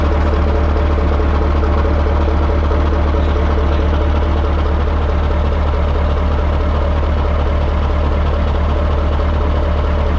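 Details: 1980 Peterbilt 359, Cat 3408 diesel revived after years sitting, restarted and building air: deep even idle with a steady low thump, no misses, knocks or hunting; lights right off. Normal idle.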